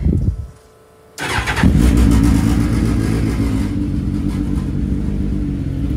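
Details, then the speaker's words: GSXR 1000 (1000 cc) powered dirt track dwarf car, after new spark plugs, cleaned injectors and a Brock's performance exhaust: fires after a pause, revs crisply and settles into a smooth, throaty, healthy run. "sounds like a freaking GSXR now [Music] this thing sounds sick brother"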